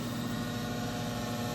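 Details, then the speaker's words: Garage unit heater running hot: steady droning hum with buzzy resonance; vibration noise seems to come from one side panel, the hot bottom plate beneath the burners is part of it; cause not confirmed. "what could be making that noise horrible sound seems to be coming from this side of the unit panel"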